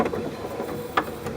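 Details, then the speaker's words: 1994 Chevy Corvette C4 pop-up headlight motor, nearly 20 years old: whirs with loose gritty rattling and sharp slips as the worn plastic gear strips and spins, light sometimes failing to rise; gear to be replaced. "The gear is just spinning. And sometimes the light doesn't go up."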